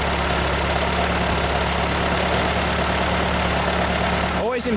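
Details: 1925 Ford Model T four-cylinder, hand-crank started, throttle barely open, spark then advanced with timing correct: steady, even low thrum with no misses or stumbles; normal smooth idle.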